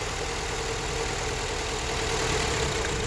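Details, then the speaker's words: Honda Accord at idle: very rough, lumpy idle with heavy vibration, near stalling; coil-pull test shows cylinders 1 and 2 not firing, with coil, plug or injector suspected. "it gets worse. It means these two is working, and number one and number two not working."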